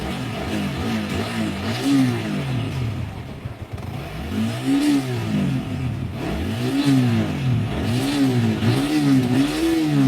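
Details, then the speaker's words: Single-cylinder motorcycle after work on a timing chain tensioner that had been backing off under load; balancer or crank damage was first suspected. Clean rev blips with no timing chain clatter; normal running, road test pending. "nah ini sudah suaranya nggak mengerikan yang tadi ya Oke dan ini kita akan tes terlebih dahulu kita akan bawa ngebut kita pakai dulu Berapa jam"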